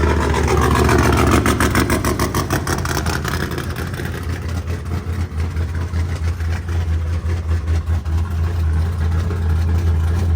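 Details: Nitrous LS V8 burnout car (7400 rpm, 'Badillac') after last-minute repairs before Cleetus and Cars Indy: a brief blip, then a lumpy but even idle with a deep steady burble and no knocks or misfires; sounds fine.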